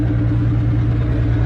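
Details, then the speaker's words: Nissan 240 with freshly swapped 1J engine, first start after fixing a missed ground: rough idle with regular uneven thump breaking rhythm several times a second, cylinder dropping out; owner unsure why, later suspects old fuel, misfire cleared. "Alright, well, it's running, but it's misfiring really bad. I do not know what the cause of that would be."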